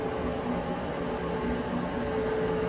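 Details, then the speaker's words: Maytag electric front-loading dryer after removing a zipper pull that caused thumping noise: even, steady drum hum with no thumps, scrapes or rattles; runs smoothly. "Smooth as silk. Listen to that. She's a runner, guys. Okay, no more bumpy ride."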